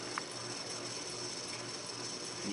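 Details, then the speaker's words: Early-1990s SMC Park Avenue III DC52 ceiling fan on high speed, speed switching seemingly not working: steady hiss with faint dry rattle underneath as it spins, shaking and rattling. "here we go folks shaking rattling and rolling there we have it"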